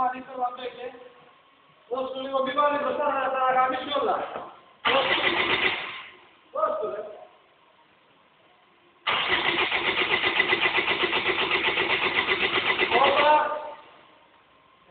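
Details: BMW E46 320d 150 hp diesel, first start after an overhaul for the swirl flap failure. The starter cranks in a few short bursts, then the engine catches and settles into an even, steady idle.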